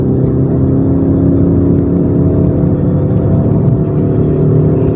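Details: 22-year-old, 300,000 km common-rail JTD-family diesel after high-pressure pump rebuild for P0090/P0091; third gear full throttle uphill, rail pressure a smidge under recommended; strong smooth even drone without misses, surging or knocks, normal acceleration under load.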